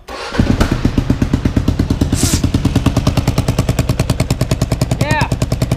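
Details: Kawasaki KLR 650 single-cylinder thumping at about three beats a second with uneven sharp pops in the exhaust; first suspected a vacuum leak, owner now assumes a leaking exhaust gasket, with vacuum leaks also found on intake and exhaust sides.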